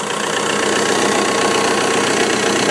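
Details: VW MK3 Jetta TDI 1Z/AHU diesel after replacing alternator belt tensioner and pulley, run test at idle: steady diesel clatter with no squeal, chirp or slipping; belt drive running normally.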